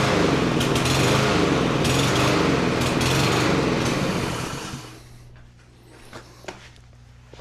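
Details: Cub Cadet SC300 mower with Honda-clone 159cc engine, after sitting over a week, before carburettor rebuild: small engine beats roughly and surges about three times a second, then sags and fades out; carburettor fault causing surging and rough running.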